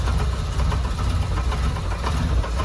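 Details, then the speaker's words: 2010 Chevy Monza 1.6 with codes P0106 (MAP), P0122 and P1122 (TPS) and very low barometric reading: lumpy, uneven idle pulse heard at the exhaust, engine running fast. TPS fault suspected of triggering the MAP code. Uneven idle. "tenemos un Chevy 2010 1.6 que tra una falla muy rara"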